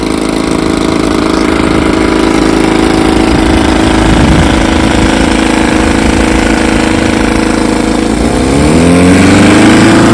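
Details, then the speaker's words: 1954 Evinrude 7.5 HP outboard, restored with a replaced power head after the original froze, in a test barrel: steady two-stroke buzz, then clean pickup in pitch as it revs; normal running. "yes sir She's a Beauty runs like a champ got her out here on to B Lake Bar tester"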